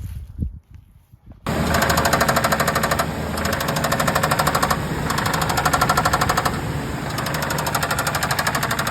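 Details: 2003 Ford F-150 single cab, 4.2 V6, under way while driving: steady rapid knocking about three a second rides over the engine; horrible lower-end rod knock.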